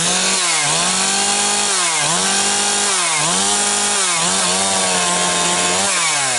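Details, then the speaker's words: Husqvarna 362XP Special chainsaw cutting firewood with a wrong rev-limited ignition coil fitted by someone else: idles fine but in cut bogs, gargles and flattens at capped RPM; not over-rich, leaning makes no difference; coil to be replaced. "YEAH, that is very frustrating to uh have something that's uh bobbling around and gargling like that."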